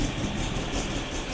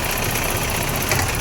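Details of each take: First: BMW E30 M10 engine that suddenly misfired and shook after about 5 km of driving, won't rev at any rpm; lumpy shaking idle with uneven stumbling beat. Misfire later traced to distributor rotor fault and wrong plug lead order. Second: BMW E30 M10 four-cylinder after misfire repair; steady even engine note, no stumble or dropouts, stable at all rpm. Normal running.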